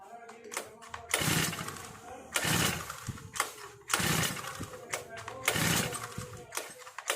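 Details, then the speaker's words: New four-stroke brush cutter with foam air filter, choke lever up (on choke): sharp pull-cord rips about every second and a half, each dying away with no firing; cranks but won't start on choke. "देखेंगे दोस्तों जैसा कि आपने देखा चौक में brush cutter start नहीं हो रहा है तो हम चौक लीवर को नीचे करेंगे और फिर से स्टार्ट करके देखेंगे"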